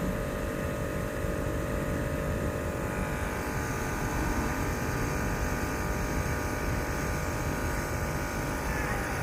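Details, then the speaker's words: 2008 Range Rover Sport after repairing lost-communication faults (U0159, U0127) that disabled air ride: low, steady electric motor hum as compressor raises vehicle to off-road height; air suspension compressor running normally. "so if we go up you'll see now it says raising vehicle it says suspension off-road height closed door to change height so we'll close the door and there it goes look at that so everything's working now"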